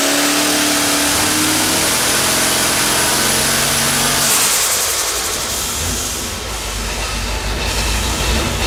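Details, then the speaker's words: Quad-turbo LS engine on engine dyno, pump gas, at high revs under boost: loud rough pull with an uneven, stumbling beat; steady misfire from a bad coil and plugs leaving two dead cylinders. "you could hear this steady miss now that the boost pressure was up and that's when we investigated the plugs and found the other coil"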